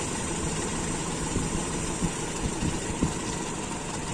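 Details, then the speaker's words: Toyota Kijang Super 5K on its original Aisan carburetor with FMT jets and a working AC idle-up vacuum, idle screw being adjusted; a low, uneven idle with stumbles every second or so, close to stalling. "masih ada sendatan teman-teman malah nyendat"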